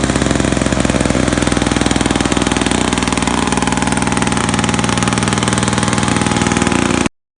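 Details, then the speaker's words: Old Australian-made Victa two-stroke lawn mower bought for $10, started on two-stroke fuel after priming; fast, even crackle at steady speed with no misses or surges, then a clean shutoff; running healthy. "So I think we have ourselves a running old Victa Australian-made mower."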